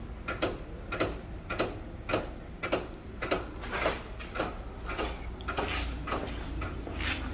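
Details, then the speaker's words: BMW F10 535i comfort access fault: with the key in pocket, approaching the parked car triggers repeated door lock clicking about twice a second untouched, stopping on backing away; owner suspects a failing passenger rear door handle. "so you see i didn't do anything you can hear the clicking"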